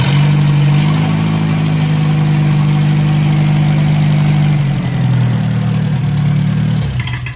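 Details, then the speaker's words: 1957 Hercules 4-cylinder engine with magneto, revived, not yet hot, steaming from uncapped radiator: steady low idle with even beat, no knocks, then winds down; ran well, 20 lb oil pressure. "oh pretty excited it ran really well so uh not really hot yet"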